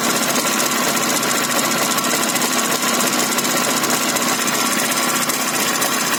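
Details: Jawa 634 two-stroke running at steady speed: a harsh, rattly note with a fast, regular knocking through it; a mechanical engine knock, cause not pinned down.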